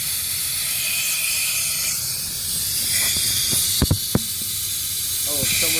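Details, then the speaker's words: Workshop compressor with a steady sharp hiss of escaping air and a few clicks; pressure drops immediately, leak felt at one spot, though a second leak point is suspected; source not fully understood. "Okay. So it's immediately dropping pressure. Sounds like Right it's here. coming from Right there."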